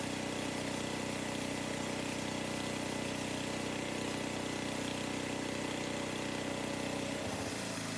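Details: 1982 Craftsman 4 HP snow blower with Tecumseh engine, after fuel line replacement and years of sitting: a steady, even single-cylinder putter at constant idle with no misses, then it winds down cleanly. Normal running.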